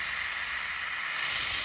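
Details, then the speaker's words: Taiwan paintball regulator (OP 1800) checked before fitting to the unit, with the pin confirmed removed: a steady high hiss of escaping air that swells near the end, no sputter, so the regulator vents normally. "Udaranya keluar. Ya, dengar ya. Seperti itu. Jadi udaranya sudah keluar."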